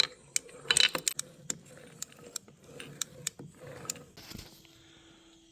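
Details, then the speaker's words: 2014 Honda CRF250R dual-exhaust dirt bike that shut off while ridden, engine turned over by hand: irregular light metallic ticks and jingles, not rod slap; a foreign object appears to be lodged near the crank in the crankcase. "So, listen while I turn this over. You can kind of hear something. Not the rod slapping around, but there's something else."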